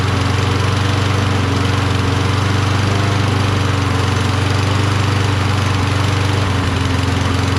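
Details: Cold Toro Recycler mower with a Kohler XT675, choke closed, running on starting fluid: loud, low, steady drone with an uneven, lumpy beat, i.e. rough running. The owner suspects a weak magneto or the carburetor.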